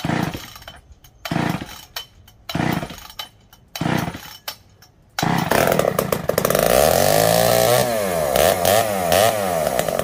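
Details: Poulan 306A chainsaw revived, filters cleaned and still slightly wet, fuel added: a few weak pulls, then it catches and runs, revving up and down cleanly with steady even buzz; running normally.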